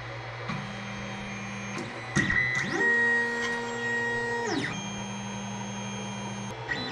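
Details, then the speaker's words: Creality Ender 5 Plus 3D printer auto-homing on its stock board, before the silent board v2.2.1 upgrade. Loud, harsh whining stepper tones that jump in pitch as each axis homes. Noisy stock stepper drivers. "I'm gonna auto home it so you can hear what the mountain sound I mean the motor sounds like right now"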